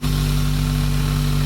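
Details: Turbo engine with a misfire being diagnosed, started after fixing a loose sump restrictor, PCV hose and coolant lines and cleaning the MAF sensor. It catches and settles into a steady, even idle with no stumbles; owner is unsure the misfire is solved.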